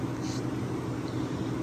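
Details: Vintage Westinghouse 10,000 BTU window A/C on cool, possibly a Copeland or Bristol style reciprocating compressor: low, steady hum, even pitch, no rattle or knock; smooth running, with air output estimated at 35-40 degrees.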